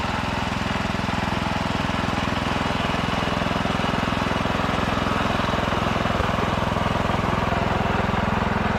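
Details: Ditch Witch C99 trencher with Wisconsin engine, started after sitting: loud, even thumping about three beats a second, steady with no misses or stumbles; engine running healthy, normal running.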